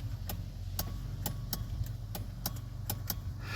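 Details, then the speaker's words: 1992 Chevy Silverado C1500, key on, heater set but no fan speeds: sharp uneven clicks about three a second over low idle rumble, suspected blower motor relay chattering with no fan running; resistor and relay to be inspected. "You can hear it clicking."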